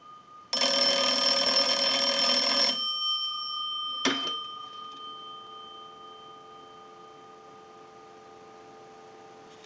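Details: Kellogg wood wall crank telephone during repair checkout. A short bell ring, then a click and a clean, steady low dial tone that holds evenly: the line is working normally.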